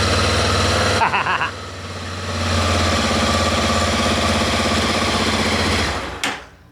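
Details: Honda XRE 300 electric start after replacing the starter clutch plate (placa de partida) and refilling oil, which cured a starting noise: starter whirs briefly, engine catches cleanly into steady idle, no grinding; starting sounds healthy.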